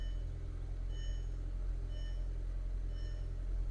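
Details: 2003 VW Golf GTI 1.8 turbo, automatic, 107,000 miles, after repairing a crank-no-start condition: steady, even low idle with no misses, knocks or ticks; engine settles smoothly and sounds healthy.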